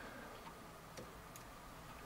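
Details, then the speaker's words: Toshiba L300 laptop that will not power on: LEDs show power reaching it, power LED blinks one second then shuts off, faint isolated clicks with no fan or drive, even with correct external voltage and polarity; unresolved. "so even if I give distinct revolts with the correct polarity still doesn't want power on and I still hear that click"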